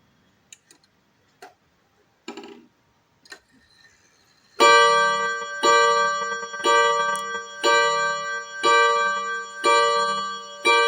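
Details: Seiko Japanese 30-day wall clock at 12 o'clock after date change: a few light ticks, then clear ringing chimes about once a second, each decaying evenly; the striking mechanism is working normally.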